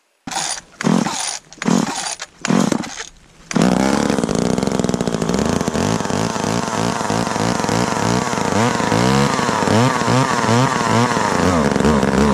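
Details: Very small chainsaw found in the trash, never repaired and not run for years. After a few short pulls it catches without starting fluid and holds a steady, buzzy two-stroke idle with proper power. It seems to have no clutch. Healthy.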